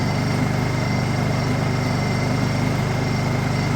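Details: Honda EU2000is inverter generator, bought as non-running, just started cold on choke: even, steady beat around three pulses a second, no misses or knocks; smooth normal idle.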